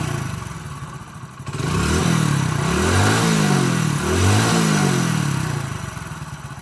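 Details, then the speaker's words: Telugu mechanic's reference bike with no smoke: the engine picks up cleanly from idle through several smooth rev sweeps and settles back, with no knocking or rattle. A perfect, healthy engine. "మనం బండి raise చేస్తే మనకి ఈ type అయితే అవుతుందన్నమాట. మనకు బండి raise చేయకుండా సైలెంట్గా ఉంటే బండి ఎట్లుంటుంది అనేది కూడా చూపిస్తాం మీకు."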